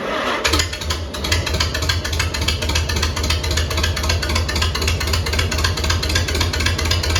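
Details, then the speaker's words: Tractor at its first start after sitting at least a year: uneven, lumpy beat of about four pops a second over a steady drone. It runs rough and needs a tune-up; timing suspected off and governor possibly sticky. "well I'd call that a successful first start Ed definitely needs a tune-up but it's always better than that way and not and I think the timing is off on this tractor anyways"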